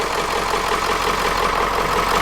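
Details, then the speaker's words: Ford E350 4x4 van with 7.3 diesel, swapped engine at first start after glow plugs: even, steady diesel clatter at idle with no misses or stumbles, sounding like a dirty old 7.3; normal idle. "Almost sounds like a dirty old freaking 7.3."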